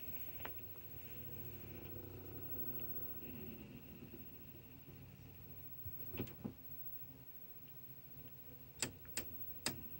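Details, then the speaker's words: Toshiba SD-V296 VCR/DVD combo loading an audio CD: quiet hum, then a cluster of three sharp clicks as the DVD drive repeatedly tries and fails to read the disc. "hear that clicking you know that clicking is a sign that has a higher chance of working again"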